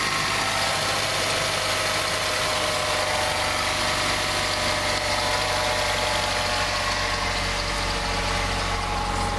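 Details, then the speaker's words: 2006 Ford Fusion at idle with a thin, continuous high squeak over the engine hum; the owner suspects a dry idler and hopes it is not the water pump, unconfirmed. "The only thing is I hear something over here squinching, like a dry idler or something going up there. I hope it's not the water pump making noise."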